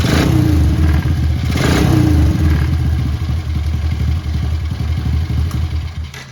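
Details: ATV after replacing the starter chain and tension guides (it previously made a winding noise on start): a quick crank, then a single-cylinder putter settles into a steady idle with no grinding or clatter. Normal start.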